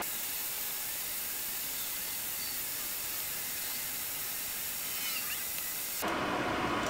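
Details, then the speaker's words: Creality Ender 3 with a BTT SKR Mini E3 v1.2 board and Noctua 40 mm fans: a steady airy hiss runs about six seconds from the stock power supply fan, then drops away when that fan shuts off. The PSU fan is the loud part. "we will wait for that powerspike fan to turn off again you're just how quiet it is"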